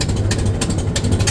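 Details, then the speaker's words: 1926 Model T Ford truck started on the starter button after about 10 seconds of coil warm-up: the engine catches and settles into a steady low chugging run with even firing pulses. Normal. "Okay, we'll just see. She's going to fire up today. Oh, almost. Yes."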